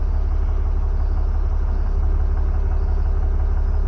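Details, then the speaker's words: 2015 Ram 3500 6.7L diesel after turbo actuator replacement and self-calibration, coolant at 131: smooth even low rumble at idle with a slight throttle blip, no knocks or whistles; running healthy. "We're gonna gas it a little bit. Yep, nothing acting a fool."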